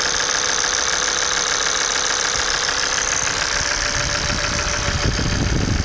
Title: bruit moteur claquement ! pompe à huile hs ! engine oil pump noise out of order !